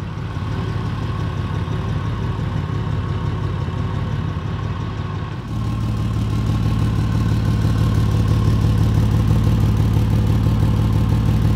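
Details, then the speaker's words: 2004 Ford Ranger: after a temporary patch on the leak just ahead of the flex pipe, the idle is a steady, even rumble and the sharp exhaust tick is largely gone. The owner suspects further leaks downstream. "so sounds a lot better it's not perfect i think i've got some exhaust leaks down further but as you can see it's it's different"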